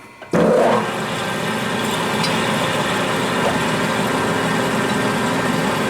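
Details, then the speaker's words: Accusize QTR 22 parting tool cutting 303 stainless at 180 rpm under power feed, without lube and with long stick-out: a steady, even cutting hiss with no chatter, squeal or hammering. It parts cleanly through. "303 stainless power right through it without even having any issues whatsoever"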